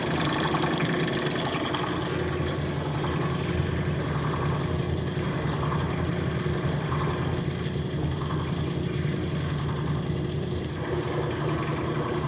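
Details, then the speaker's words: Rotary vane vacuum pump, retrofitted with KF25 fittings and overfilled with oil, evacuating a neon bombarding manifold: steady low hum with a soft churning rhythm, no knocks or rattles; running normally under load. "i like it. the pump down there... pumping. good job,"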